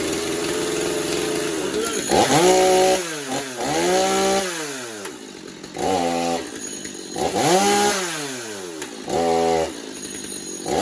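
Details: Stihl MS250 chainsaw, warmed up, after new clutch drum sprocket and air filter, pretty much bench tuned: revs up and drops to idle cleanly several times, crisp throttle, no clutch rattle; running healthy.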